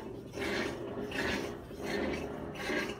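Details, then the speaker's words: Whirlpool 18 kg washer that would not spin, lid lock not yet engaged: slow, even swishes about every three quarters of a second as the tub turns to reposition the load before spin; normal. "Ahí escuchamos un golpe como si se fuera a acomodar. Lo que habíamos comentado, que se tiene que acomodar lo que es la tina."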